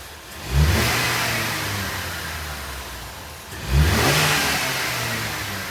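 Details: Ford Maverick engine just after swapping in a new K&N air filter: two crisp throttle blips with a clean intake rush, each falling back smoothly to a steady idle; sounds healthy, normal revving.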